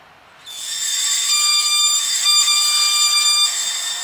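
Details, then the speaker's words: 2008 Opel/Vauxhall Astra front brakes: steady, piercing high-pitched squeal holding one pitch for seconds as the pad wear indicator clip rubs the disc, warning the front pads are worn; pads and discs being replaced. "now that is supposed to happen believe or not you have a little metal clip on your brake you can just see it there that rubs against the disc to tell you when your pads are low so it's a warning device but obviously when you're driving it sounds really really bad"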